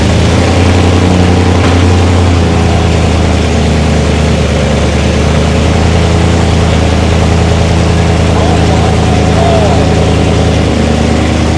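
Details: First start of a race-car V8 after fuel pressure and leak checks: deep, even idle holding steady, no stumble, hunting or knock, no limp mode; running smoothly, normal idle.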